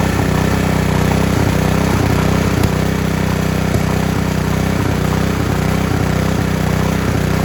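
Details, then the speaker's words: Honda G300 engine revived after 2 years outside, warm, after carb clean, new needle, fuel line, plug, oil change and water-filled tank cleaned: steady even beat at constant speed, no misses, surging or knocks, runs great. "I just shut the fuel off, but it starts, it runs great."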